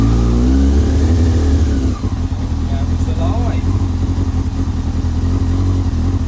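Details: Old R6 started after sitting as a scrapper, on a makeshift fuel feed with primer pump; it catches into an uneven, choppy run that steadies to a rough low idle, fault not pinned down.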